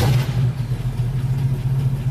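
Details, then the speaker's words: MGB GT with non-factory 4-litre V8, built over about two decades, warm, out of gear: fuel pump ticking, then catches right away on the key and settles into a deep, even burble, no knocks or misses — healthy start. "absolutely on the key. Got that lovely, lovely burble to it."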